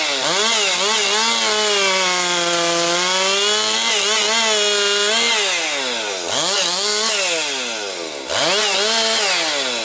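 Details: Rebuilt Husqvarna 262XP two-stroke chainsaw breaking in, compression up, cutting low-grade pine firewood: high scream bogs and drops pitch in each cut, snaps back crisply; running strong, picking up power, healthy.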